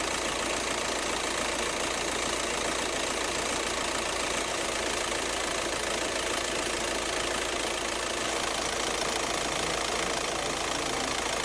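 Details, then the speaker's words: 2006 Volkswagen Jetta 1.9L TDI diesel idling: rapid uneven flapping and chatter from the front accessory belt and tensioner, caused by a failing overrunning alternator pulley. "so as we observed these are some of the belt or tensioner flapping or chattering noises associated with a bad overrunning alternator pulley"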